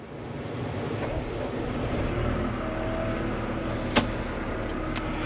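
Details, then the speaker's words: CAT 313 excavator diesel running after its 1000-hour service oil change, left running a few minutes to circulate oil before checking the level. Steady, even drone with light clicks and no knocks or misses: normal running. "all right let that run for just a few minutes I and get all the oil circulating in it and we'll check the oil make sure it's right"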